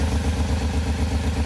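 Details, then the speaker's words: Pontiac Firebird, probably mid-1990s, V8 idling with a steady loping stumble, about five dips a second, from one dead cylinder after connector pins were fixed; misfire at idle, owner suspects coils or fuel, checking coils and spark plug. "from what I can tell uh we still have a dead Miss so we're going to verify quickly if the coils are actually doing what they're supposed to do"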